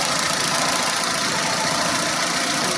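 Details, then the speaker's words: Renault on LPG after replacing noisy 3-ohm gas injectors with 2-ohm injectors, leak test done: even, steady idle with smooth hiss, injector ticking gone, running slightly better. Normal idle. "şlar enjektör sesi bayağı bir kesildi yani o şıkırtı sesi yok şu anda herhangi bir LPG kadar söz konusu değil"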